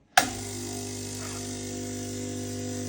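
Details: Ulka EP5 vibration pump in Quickmill 3050 espresso machine after repair (previously just hummed, no water flow), pulling a shot: sharp start then steady even buzzing drone, no stalling or bare hum; working properly.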